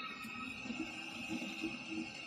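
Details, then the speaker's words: Ideal Logic combi boiler that would not fire after the customer ran out of gas: irregular gurgling bubbles every half second over a faint hum, from a blocked condensate trap. "well I can hear straight away it's a block condense hear that buing"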